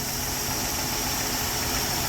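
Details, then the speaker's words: 1968 Ford F100 old Ford engine after carburetor mixture set to about 13 AFR and valve adjustment: steady, even idle with no miss, hunting or ticking; idling properly. "perfect and that's really all we needed to do after everything else we did the thing's just that good"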